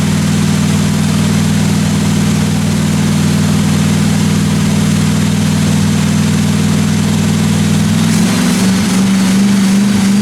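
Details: 1957 Chevy 210 running during the roughly 20-minute cam break-in on first start: loud, steady, even running with no top-end ticking and a small speed change near the end; normal running.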